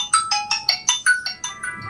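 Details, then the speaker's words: Redmi Note 10 Pro (sweet) after repair of no-audio fault (chip bad connection, CPU/UFS reworked): clear, bright ringtone notes about five per second, crisp, no crackle or distortion; speaker now working normally. "Nah dan ini saya langsung cek saja untuk suaranya Nah sekarang suara ada ya"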